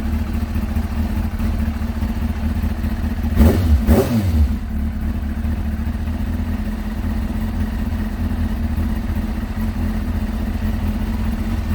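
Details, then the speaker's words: Kawasaki ZX6R J2 inline-four after carb rebuild with new main jets, needle clip adjusted and carb balancing, warm at 44 degrees, idle set a little below 1300 rpm; steady even idle, one throttle blip settles straight back: normal idle. "That sounds nice, it's at 44 degrees. Kawasaki do say to have it at 1300 RPM."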